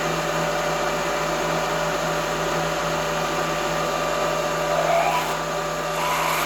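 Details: Drilling a hole on the very edge of a part (Picatinny rail flashlight mount) with an unsupported pilot, fed hard at high RPM with long stick-out: harsh steady buzzing whine with rough rattle, drill chatter.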